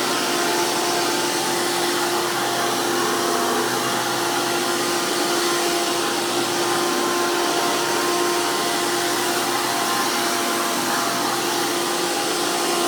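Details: Hoover PowerMax II U5246-940 upright vacuum (2002), direct-air design with 12 amp motor, high RPM and 20-blade fan impeller, after motor work: loud, steady high-pitched whoosh and whine with no wavering, grinding or rattle. Normal running.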